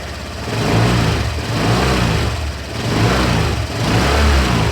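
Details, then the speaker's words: Late-2018 Honda Vario 125 scooter, after rubber shims fitted to radiator cover: low uneven growl pulsing with throttle blips, still rough; radiator cover ruled out as cause, source unknown. "Ternyata masih tetap saja tidak ada perubahan, masih tetap kasar dan ngorok suaranya. Berarti ngorok itu bukan disebabkan karena tutup radiatornya."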